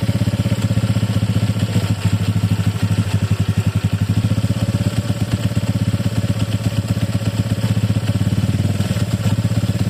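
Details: Honda Click 150i scooter: busy, uneven clatter over a low idle thrum at about four beats a second; engine noisier than it should be; abnormal engine noise.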